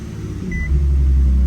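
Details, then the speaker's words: Infiniti Q60 that used to die on cold start, just after the fix: engine starts and settles into a fast, steady high idle as the computer relearns; normal. "That's like way better. Is it supposed to be that high? Well, it's got to relearn everything."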